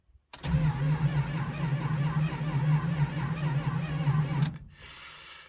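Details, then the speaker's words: 1971 Dodge Charger R/T 440, cold start at about 9°F after sitting four months, carburetor needing rebuild, two pedal pumps: very slow cranking about four seconds, never catching, then a whirr; battery suspected weak. "oh boy that's a very slow crank i think our battery's a little weak too"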